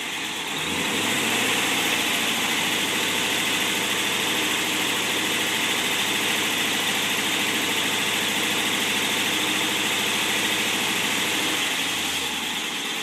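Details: 1955 Ford Thunderbird Y-block on test stand, not fully warm, oil pressure 42.5, vacuum steady 20, tach around 1000, charging under 15 V, with muffler: smooth, even V8 note rising with throttle and dropping back, quiet, no smoke, knocks or misses; healthy.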